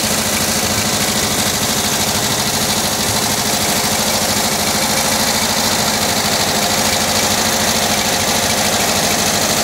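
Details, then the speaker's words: 1979 Volkswagen Type 2 with 2-liter fuel-injected flat-four engine at idle: light metallic clinking like glass bottles tapping, about three times a second; owner suspects the fan, refitted unmarked after cleaning and painting; cause unconfirmed. "So I'm wondering if you can hear and tell me what that clanking noise is. It sounds like you're banging two glass bottles together."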